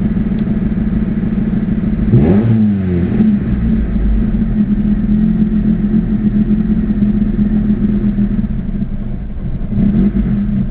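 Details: Acura Integra with B18 engine: uneven loping, cam-like rough idle with a couple of throttle blips; won't start without pressing the gas.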